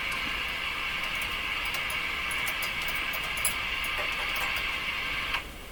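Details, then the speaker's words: Hallicrafters S-40A shortwave receiver: a high hissing whistle over tapping clicks that then cuts out, the same on every band. A microphonic oscillation, suspected to be a contact issue in the tuning capacitor. "it's microphonic sort of what's happening man what's happening"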